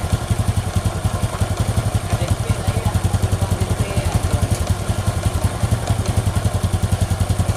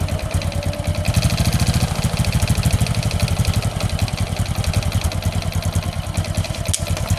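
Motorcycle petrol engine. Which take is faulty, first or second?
second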